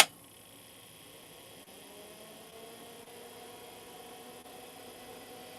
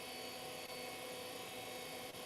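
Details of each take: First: Old IDE hard drive on a 386/486-era retro test bench powering up: faint whine climbing steadily in pitch, then loud spinning, with no click of death; normal spin-up, though the BIOS then fails to detect it. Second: Old IDE hard drive in a 386/486 retro test computer spins up loudly with a steady airy whir and high whistling tones, no click of death, yet BIOS fails to detect it.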